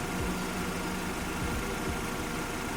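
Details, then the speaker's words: Engine at idle after replacing the tensioner damper that caused loud rattling at idle and under acceleration: steady, even hum with no rattle or tapping; engine now sounds healthy. "okay Bill let's try what you hear that the sound is much more better"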